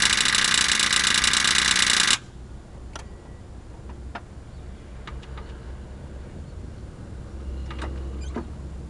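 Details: 1995 Honda Civic Si won't start: rapid harsh starter solenoid clicking with no crank, caused by a dead battery and battery cables not making good connection; fixed with new cable connectors and a new battery.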